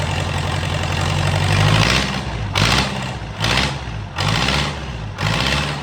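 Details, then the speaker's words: Swinger 3000 diesel running while its exhaust manifold and muffler are off for repair; harsh, raw bark that swells with each throttle blip. Loud open exhaust with no muffler. "Let's fire it up and see what happens. It's going to be loud as all get out."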